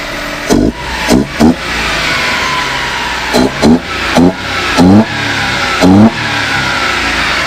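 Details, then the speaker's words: 1994 Suzuki Carry mini truck, 145,800 km: five or six quick crisp throttle blips, each rising cleanly and settling back to steady idle; motor sounds healthy. "Motor sounds good though."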